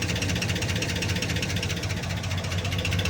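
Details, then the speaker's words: Cheap truck with a suspected overheating issue, driven in 32°F weather: a steady drone with a loose, uneven ticking rattle that only appears when hot, not cold; source unclear, possibly the transmission area. "There's the engine noise, but it's weird. It wasn't doing this cold. It only did this when it got hot. And the noise almost sounds like it's coming from the trans area."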